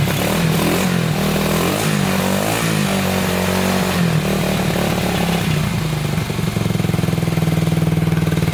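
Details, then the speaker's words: 1987 Honda 250X after new valves and new coil replacing a broken coil wire, first start after about a thousand kicks with idle adjusted up: small single thumping steadily at fast idle with some clatter, settling into an even beat; runs properly. "well it uh it runs oh man that took forever to get"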